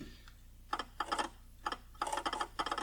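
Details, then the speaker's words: Early Jaguar XJ-S V12 revived after years sitting, Lucas electrics: bursts of rapid light clicking in the cabin as climate control servo relays chatter, suspected bad fuse connection at fuse 11, not confirmed. "or the climate control so i can hear the relays over here clicking for the servo so that's really good"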